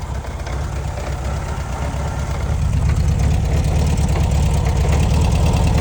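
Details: 1966 VW Beetle 1300cc with an oil leak: steady idle with a dull, fairly regular clunk about three times a second over the low rumble; clunking of undetermined source.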